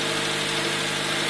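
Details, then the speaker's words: 2000 Honda Civic LX, D16Y7 non-VTEC engine, after head work following coolant loss from a cracked radiator: smooth, even idle, no misfire, idling somewhat high because the system has no coolant yet; runs normally. "so I got everything put back together started it up and it runs it idles pretty high because there's absolutely no coolant in it but I think we're good to go"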